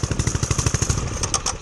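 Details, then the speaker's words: Homemade turbocharged pit bike: uneven thumping slows and fades until it dies, stalling right as the clutch engages; a fueling problem is suspected. "see, it just, right when you start getting it, the catch on the clutch, it just dies."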